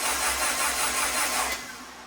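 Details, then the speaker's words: Turbo Honda Integra, spark plugs out, cranked again after a 5-minute rest to prime the new turbo before the first 2024 start: fast even whirring crank with no compression pulses, spinning down; normal plugs-out cranking. "All right, it's been about 5 minutes now. I'm gonna crank it over."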